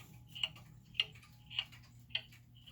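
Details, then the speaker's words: German time/strike pendulum clock after leveling and crutch adjustment: crisp ticks a little under one per second, evenly spaced, over quiet room hum; now in beat. "all right you hear that now so now we've got the clock that's in beat we think it's pretty level"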